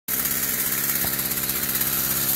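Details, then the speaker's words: Warm Stihl FS46 two-stroke string trimmer, which wouldn't rev up on throttle, now starts and holds a steady, even buzzy idle after reassembly; it runs but still needs carb adjustment, a little rich on top and probably the low too. "Okay, as you can hear, it's running. Definitely going to have to adjust the carb."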